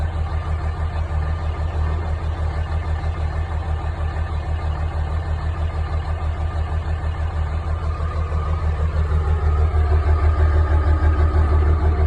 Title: Dodge ram 5.9 Cummins CR cold start bad injector